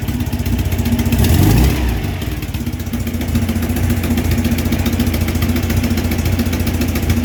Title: ticking sound